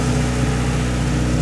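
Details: 1992 Honda Civic CX hatchback (EG) with B18C swap, after engine mount replacement during a refresh: steady, even low hum with no knocks or ticks; petrol engine idling cleanly.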